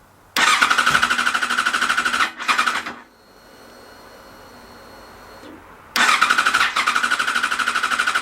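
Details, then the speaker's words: Yamaha FZ6 Fazer S2 motorcycle with its ECU reset to virgin state, still showing high temperature and no diagnostic mode: starter spins the engine in three bursts with even compression pulses, barely trying to fire but never catching; crank, no start, cause unknown. "I'm hearing it almost triy to start a little bit of something"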